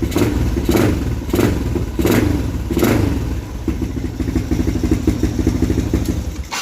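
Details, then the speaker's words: Motorcycle (Umar Racing carburetor, MB CDI, owner's NLK 28mm exhaust with silencer): fires first try, four crisp throttle blips, smooth idle; timing and response good, normal start and revving. "Okay, so sekali start CDI dia pakai CDI MB. Timing cantik, respon pun cantik lah."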